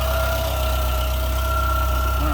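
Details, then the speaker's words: After replacing a pinhole-leaking oil filter that had been overtightened with a wrench, the engine is started to purge air from the filter: smooth, constant low idle with a faint steady whine, no misses or knocks; runs clean. "so i'm gonna start it up it'll purge the uh air out of the filter and then after i clean it up we can uh double check the fluid level actually sounds pretty good i'll give it that"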